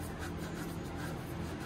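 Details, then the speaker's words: Craftsman LT1000 mower that sat unused for years, deck pulley spun by hand: only a soft, even scraping rub against the belt with no grumble. Healthy pulley bearing with light belt rub. "that feels good no no grumbling that noise is just it rubbing up against the belt that feels good too"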